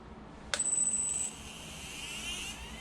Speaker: you can hear the Gyros almost at Full Tilt so we are green everything's ready to go